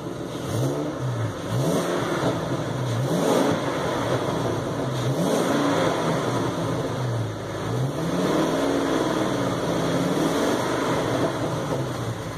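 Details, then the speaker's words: Ford F550 6.8 V10 after repair (misfire was one fouled plug), final test; oil pressure good, temperature low, tail raised so battery and check engine lights on. Clean throttle blips, revs rising and falling smoothly, no knocks; sounds good. "Sounds pretty good. That's the end of the road for this one."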